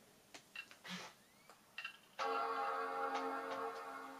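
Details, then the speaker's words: PowerBook G4 Titanium bought for £1, previously stuck at the Apple loading screen; after being powered off and back on, quiet clicks then a clean sustained startup chord fading out through working speakers; normal startup chime. "It seems to have bonged again, and this has working speakers, as you can hear."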